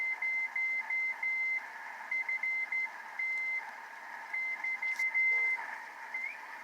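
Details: 50-year-old Heathkit SB-301 receiver, recapped and resistors replaced, on 40 meters: keyed CW Morse tone near 2 kHz in clean bursts over faint hiss; receiving signals but still needs alignment, LMO questionable.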